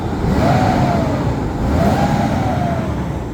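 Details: BMW E38 750iL V12 former parts car: two clean throttle blips, pitch rising and falling smoothly with no misses or knocks; engine revs freely and healthily.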